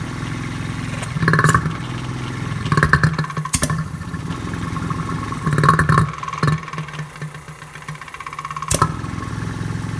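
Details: Rotary vane vacuum pump for a neon bombarding setup, first start after refilling low oil for an initial warm-up before draining and flushing, belt seems a little loose: low uneven growl with surging gurgles as it draws oil; normal start-up and warm-up run.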